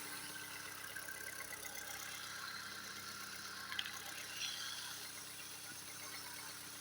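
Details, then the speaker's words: Recently repaired engine at cold idle, very quiet and even with just a faint steady hum and no knocking or tapping (a knock appears later once hot): normal cold idle. "Запишем, как работает двигатель. На холодную очень тихо работает, никаких стуков."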